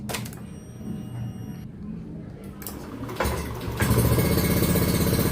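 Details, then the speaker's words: Honda Scoopy FI eSP after cylinder head and block reassembly, new Denso spark plug and charged battery, silent aftermarket exhaust, first test start: catches quickly and settles into a quiet, even idle like stock; normal start and idle. "mantap sekali guys untuk mesinnya pun terdengar senyap seperti standarnya ya knalpotnya ini knalpot silent jadi gak terlalu berisik"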